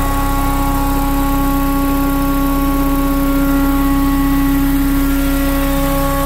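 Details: BMW Mini Cooper R53 with refitted supercharger: constant droning whirr over steady idle, unchanged in pitch across revs for 12 months; fault was a collapsed oil tube from rocker cover to supercharger starving it of oil, found and fixed.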